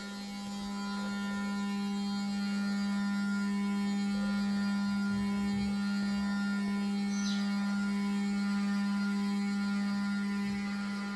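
Loud steady low-pitched hum with a constant tone that never changes, an electrically noisy fan motor droning the whole time.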